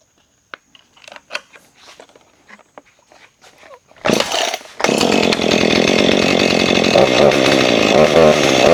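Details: Husqvarna 440 chainsaw that wouldn't rev up, after clearing trash from the carburetor jet, test fire with a freshly sharpened chain. Light handling clicks, then it fires and holds a strong, steady high rev without bogging; normal running, chain loosened slightly.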